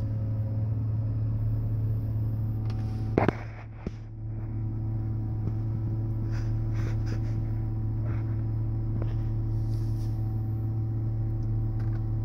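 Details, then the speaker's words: BMW 325i after master brake cylinder replacement and manual preliminary bleeding: a scan tool runs the ABS pump motor during the bleed/ventilation routine, giving a steady low hum for several seconds with a brief clatter; normal ABS pump operation. "And this is the point where the ABS, the computer's going to turn on the ABS motor, run it, and you're going to hear it."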